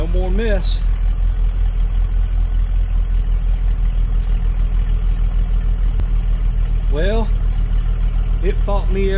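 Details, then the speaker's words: 1998 Jeep Cherokee XJ idling after replacing the crankshaft position sensor, which normally had an occasional idle miss: settles into an even, steady idle with a regular low pulse and no stumbles or skips; miss appears fixed. "step of the way but I can say that uh that definitely made a difference on the Mist cuz normally when this thing idles you can hear it every once in a while it's got a miss so hopefully that is taken care of our problem cuz there's no more Miss"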